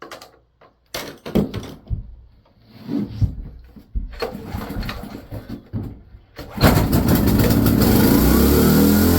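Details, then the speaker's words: Salvaged Hite 4400 W generator, 8 hp Briggs & Stratton with fuel pump, after fuel-line flush: several pulls to prime, then catches and races to high speed; governor almost stuck. "carburetor Well that took off the governor almost stuck let's try it again"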